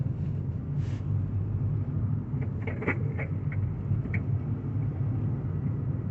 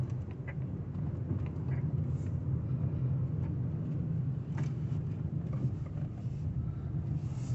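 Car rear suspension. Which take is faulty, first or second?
first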